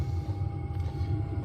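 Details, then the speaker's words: Newly installed diesel parking heater on lowest setting, heard at the exhaust outside: low, even exhaust rumble with a faint steady fan whine; running smoothly and normally. "I've got it on the lowest setting right now, and if we go out back, you can hear the exhaust."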